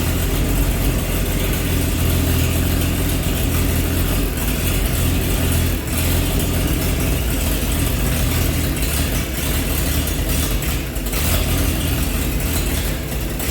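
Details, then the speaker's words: 1948 Chevy truck engine not run for 30 years, diesel in the oil pan, new coil fitted: deep, loud, steady, even idle with no knocks or stumbles, running well; a little steam comes from the thermostat housing. "so you guys heard a run you know she's running good got a little bit of steam coming out of the thermostat housing there"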